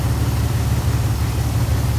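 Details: 2001 Dodge Ram 1500 5.2L after a surging problem, MAP sensor code P0107: deep, even V8 idle with a steady low rumble and no rise or dip in speed, vacuum gauge steady; normal idle.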